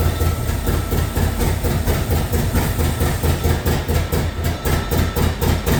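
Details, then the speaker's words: LS2 V8 in a 1967 Corvette, just started for the first time, cold on a default map before operating temperature: deep lumpy burble with steady low pulse, no knocks or ticks; normal cold idle. "I don't know if it needs to kind of get its bearings. Is it it shouldn't it should be on a kind of default map right for the first until everything gets up to operating temperature."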